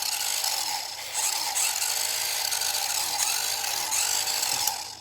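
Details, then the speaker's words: JRL R/C Dodge Viper RT/10: high, buzzy electric whir with gear chatter rises and falls unevenly, then dies out; the drive wheel spins with no input, and the car is unstable. "I'm not doing anything see I'm not doing anything at all but this wheel turning that is not a good guy"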